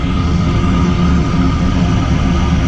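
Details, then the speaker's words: New gas power-vent water heater, PVC vent pipe temporarily mounted, heard at the wall outlet: loud steady rush of air with faint constant hum, no rattle or surging, exhaust about a hundred degrees; a bit louder than expected but normal venting. "probably a little more noise than what I would expect"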